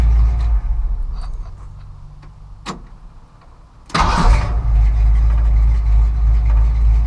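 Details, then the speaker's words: 1963 Ford F100 with 302 HO small-block V8 on a newly fitted $135 knock-off Edelbrock 4-barrel carburetor: starter whirs, fires about four seconds in and holds a steady, even idle with a low lope; throttle response seems okay. "Well, there it is. It idles good. The throttle response is, I think it's okay."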